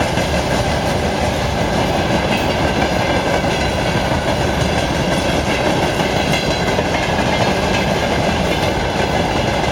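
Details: 2TE116-1273 diesel locomotive after repair: deep, steady rumble with rail clatter and no knocks or surging; runs evenly and sounds healthy.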